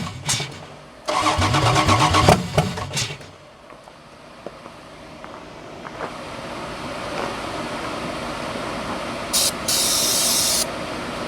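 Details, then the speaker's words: 4WD Daytona whose engine sat outside a year under a poor cover. About two seconds of cranking, then it fires and drops to a fairly steady idle that holds without dying. It improves as it runs; owner suspects surface rust on a valve seat. "all right that's starting to sound a little bit better the more you run it the more it's going to run the crop out from wherever it uh got crap in it from sitting open for too long"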